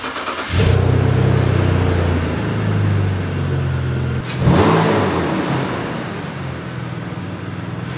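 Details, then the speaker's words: BMW E46 after new spark plugs and torn intake boot fix, previously misfiring badly at high speed: cranks, catches cleanly, settles into smooth idle, two crisp revs return evenly; healthy start and rev. "All right, car sounds great."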